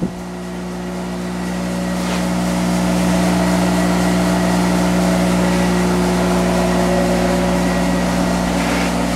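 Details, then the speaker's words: Monarch 10EE lathe during warm-up, spindle running about 400 rpm in reverse, not yet warm, circulating oil through headstock: smooth steady hum that swells slightly then holds even, no knocking or grinding; normal running. "i got it running see it's running uh 400 in reverse and that's pretty good and it's going to take a little bit to warm this up"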